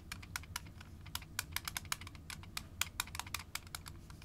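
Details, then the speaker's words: Zoom H4n recorder used for ghost-hunting EVP capture, handled while held up to a second microphone. Its loose battery cover gives light, irregular plastic clicks about once a second. The owner fixes the rattle by wedging aquarium filter foam into the cover. "it's all rally because it's loose and that's something you don't want when you're trying to capture EVPs"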